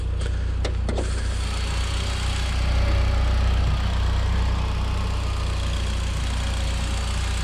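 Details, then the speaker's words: Mitsubishi Evo Final Edition, bought very cheaply, idling with the hood open: a few light clicks, then a smooth, steady low idle with no misses or knocks; runs really well, like new. "I'll just pop the hood here so you guys can hear it running. I mean, it runs really good."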